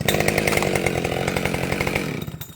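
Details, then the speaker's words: Husqvarna 572XP autotune chainsaw, restarted with no high idle after a tune: crisp, even high-revving buzz holding steady before dying away, no surging or hunting; a good running saw. "So, there you go. That's a good running saw. Now, I did a tune on it."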